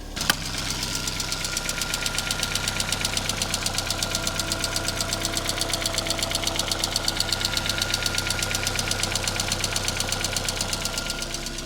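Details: MK1 Ford Fiesta before its Zetec engine swap: sharp, regular metallic tapping about two per second over an even idle; internal engine knock, cause not pinned down.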